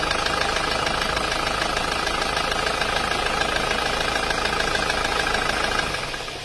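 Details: Isuzu Panther Grand Touring diesel, recently overhauled yet rough: hard regular knock near three per second through idle clatter, then shutoff; piston pin knock, engine taken down again.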